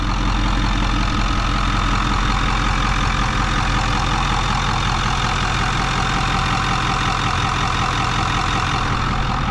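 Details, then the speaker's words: Ford 6.4 Powerstroke diesel truck with a new DFC longblock, EGR and cooler delete and new up-pipes, after a month of missing; steady, even idle with light injector clatter, zero blow-by; normal idle. "Starts right up, sounds great, 0 blow by. I'll show that video here, right here. See, 0 blow by. Let's listen to it idle."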